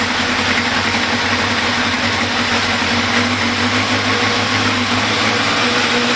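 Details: Big One engine at 95,000 km, idling without choke; busy, high-pitched mechanical clatter over steady idle with thin whirring tone, suspicious top-end noise of unidentified cause.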